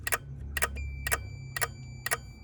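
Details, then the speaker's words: Sharan with turn signals and hazards not working; flasher relay clicking about twice a second, engine off, as lights blink on and off while the ground (minus) wire is tested; suspected poor ground. "Дауыспен бірге тың деп жаңағыдай жанып сөніп тыңылдап тұр."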